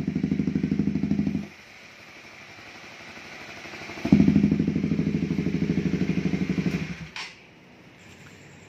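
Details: Honda CB150R engine, bought with a rough sound and rebuilt three times with a worn balancer gear and bearing housing, after repair: single-cylinder idle with a steady, even thump, cutting out once and picking back up cleanly; normal idle.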